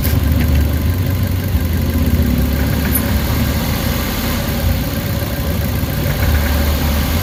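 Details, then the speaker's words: Suzuki Carry petrol engine idling after an XADO engine treatment: steady, even low rumble with no knocking or shaking; the earlier vibration is gone. "Wala na yung yung inig niya nawawala na medyo gumanda na yung under guys oh"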